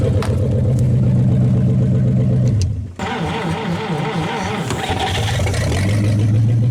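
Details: 1956 Studebaker Golden Hawk at its first start in 50 years, deep idle, a brief dip, then clean revs and back to a steady lope; carburetor and fuel pump good, with only fine tuning needed.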